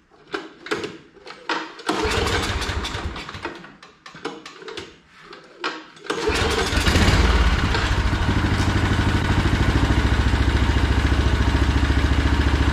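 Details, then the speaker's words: John Deere snowblower with a Briggs & Stratton Snow Series engine, test start after fitting a new HIPA carburetor (the previous one sputtered rich at full throttle): several pulls, then it catches and settles into a steady even beat, no sputter. Normal running. "we're going to let it run a second let it warm up and then we're going to go up the full throttle and see how it runs okay so our test run was good"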